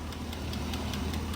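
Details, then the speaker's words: Chevrolet Tahoe 6.2 L86 with suspected DOD/AFM failure, power-braked in forward gear under load with no misfire felt: sharp metallic knock about five times a second over engine drone, seeming to come from the front cylinders; cause not yet found. "Sounds like it's up front. One of these two up front. That's what it sounds like to this guy. I don't hear it back there, and I don't hear it over here."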